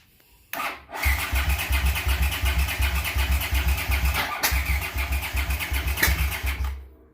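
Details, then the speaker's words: Honda GL650 cafe racer with freshly cleaned carbs: starter churns the twin at a steady pulse with uneven sputters and carbs huffing, but it never catches. The float bowl with the trimmed gasket leaks badly and fuel spits out the carbs. "I don't know if you guys can hear those carburetors huffing and puffing. I mean, it sounds like it wants to fire up, but those floats, just the one that I trimmed the O-ring or the gasket on, is leaking like a sieve."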